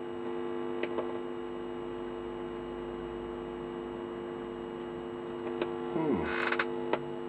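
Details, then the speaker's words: Standard Hi-Fi record player, reassembled after repair, first test: steady low mains hum from the speakers with a few handling clicks; amplifier is powered and working, though the expected buzz off the wires is absent. "well the amplifiers definitely working you can hear but I'm not getting I'm not getting the buzz I'd expect off them wires which is a little bit weird"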